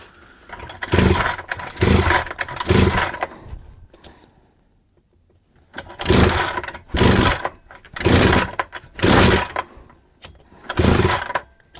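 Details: Chinese 43 cc two-stroke brush cutter that would not rev and stalled, test start after cleaning the filter housing and washing and oiling the air filter: catches and revs in short crisp blips, no spitting or dying; running normally.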